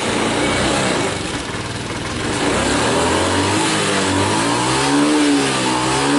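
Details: Honda Beat FI injection scooter, after a manual ECU reset using jumper wires for a bog on initial throttle: revs rise and settle smoothly as the throttle opens, with no hesitation; it now runs normally.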